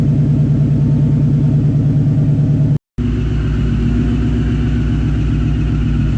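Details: Exhaust after replacing the header-to-mid-pipe connection with a new gasket, confirmed not leaking; deep pulsing drone under load with an uneven rattly flutter; owner suspects blown mufflers or wonders about phasers, cause not pinned down.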